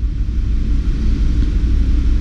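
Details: BMW X1 320i that went through water, idling: a deep, uneven rumble with dips from misfiring. Live data shows bank two pre-cat oxygen sensor readings and cylinders three and four injection time being corrected; a clogged catalytic converter is blamed.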